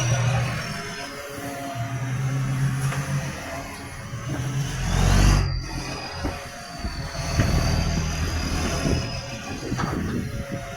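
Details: Tweed garbage truck 3218 with a massive exhaust leak: a loud, raw diesel rumble with a harsh chuffing rasp that swells as the engine works.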